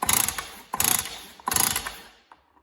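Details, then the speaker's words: Stihl cut-off saw (one of a TS350, TS360 and TS410 bought cheap) given three quick recoil pulls with a squeaky ratcheting rasp and no pop; it has good spark, owner suspects internal damage. "that sounds squeaky if you if you listen I don't think about any difference"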